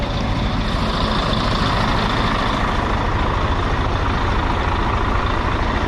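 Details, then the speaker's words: D12 diesel truck under revs, heard from the cab: a heavy, rapid knocking rattle, also audible at idle, earlier thought to be an injector problem. It is a cracked, loosely mounted EGR pipe, still drivable for 90 miles but causing cab fumes and power loss. "Yeah, so this is your EGR pipe rattle."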